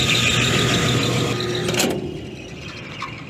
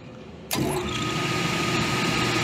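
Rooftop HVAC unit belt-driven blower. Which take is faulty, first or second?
first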